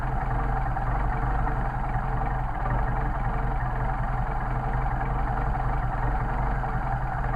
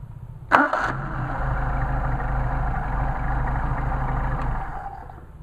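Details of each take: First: Mercedes 190SL rebuilt Solex carburetors: idle mixture screw turned a quarter turn or less until the engine slows or stumbles to find the midpoint. Steady low idle with a faint uneven pulse creeping in; idle degrading from mixture set off. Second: Mercedes 190SL with freshly machined, rebuilt, synchronized Solex carburetors, hot start after tuning. Short crank, catches at once and settles into a smooth, even idle with no stumble; clean, healthy hot start.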